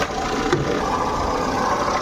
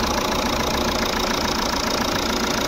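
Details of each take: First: Jeep Compass diesel idling before repair, heard at the alternator from the engine bay's right side: loud steady rough grinding rattle over the idle, present from start-up and continuing, from a failed alternator pulley bearing. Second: Jeep Compass diesel idling after alternator pulley replacement, heard in the engine compartment: steady even idle with smooth low hum, no squeal, chirp or rattle from belt and pulleys; customer's noise cleared.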